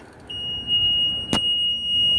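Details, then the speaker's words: E-Z-GO golf cart whose battery sat in storage 4 years with no trickle charger and is still charged; a single steady high-pitched tone shows the reverse backup beeper works normally. "Hear that? That is the backup beeper on this thing. This battery has been in storage 4 years."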